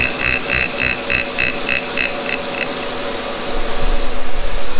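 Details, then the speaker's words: Kearney & Trecker horizontal mill on its first cut: steady machine hum with a regular slap about four times a second, easing later; one drive belt is very loose and flopping, needs new belts. "as you can hear there it needs um it needs some new belts one of them in there is real loose and just kind of flopping around"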